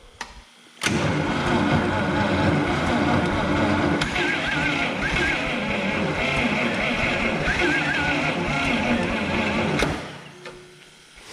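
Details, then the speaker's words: Wheel Horse Power Horse 4WD tractor with Ottawa loader, six-cylinder flathead, long-sitting auction find, held wide open: steady cranking about three beats a second, never fires; stuck valves suspected, compression test later showed weak or no compression on several cylinders. "up usually these flatheads are pretty known for having stuck valves so let's go ahead and uh pull some spark plugs see if we get any compression"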